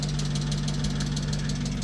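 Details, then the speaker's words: BMW E39 M5 V8, cold start after sitting over a month, clutch recently replaced: steady idle with a fast, light clatter on top like lifters clanking; valve train ticking, owner expects it to go away once warm. "Man, this thing sounds like an M156 when you haven't driven it in a while. lifter is just clanking away."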